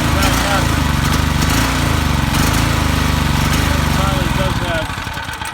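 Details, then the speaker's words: Predator 3200 generator, about six years old, first start in 2–3 years, fuel not drained: loud low chugging about three beats a second, uneven and hunting; owner suspects something in the carburetor bowl needing cleaning. "does have something in that carburetor I have to take that bowl off and clean it out right here the bowl"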